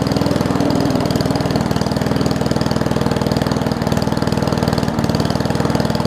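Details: Old Murray push mower with a Briggs Classic single-cylinder, fuel tank swapped from another mower and oil topped off. It chugs steadily at a low, slightly uneven idle and won't hold speed; the throttle looks to be missing its governor spring.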